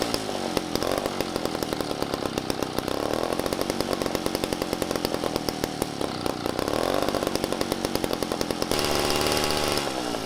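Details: Toro S-200 snow blower two-stroke engine on a friction-drive DIY motorized bike, after a carburetor rebuild with a new diaphragm (missing second gasket was the suspected issue): starts and runs with a fast crackling buzz, revs rising and falling smoothly; carb seems to work now.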